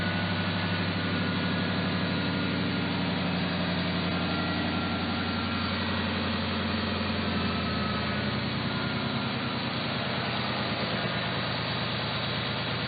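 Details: Factory Five XTF kit car at steady idle with a smooth low burble and no tinny rattle, after the exhaust pipe that had been slipped in too far and was touching was cut and corrected; the previous rattle is gone.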